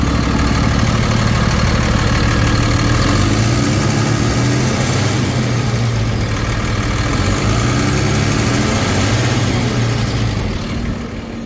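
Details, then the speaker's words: 2013 Ford F-750 Altec bucket truck, 6.7L Cummins turbo diesel, automatic, 72,000 miles, fleet maintained, no check engine lights. After start-up a deep steady rumble settles into an even idle with no stumble, misfiring or smoke. Healthy. "You see, no misfiring, no smoking."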